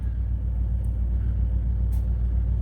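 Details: Big truck with a completely dead battery, started with a Fly Link Tech BD20 jump starter: steady, even low rumble with no misses, knocks or stumbles. Normal running.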